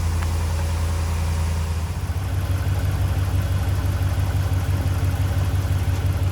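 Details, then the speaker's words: 2010 Dodge Ram 5.7 Hemi after topping up oil and clearing code P1524 (oil pressure system). Deep, steady V8 idle with a smooth, even rumble and no ticking or knocking: normal idle. "That should do it. Sounds nice, right?"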